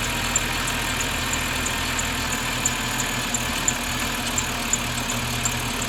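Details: Petrol BMW 530i at steady idle: sharp high chirp repeating about three times a second in time with the engine, a belt-driven squeak, source unconfirmed.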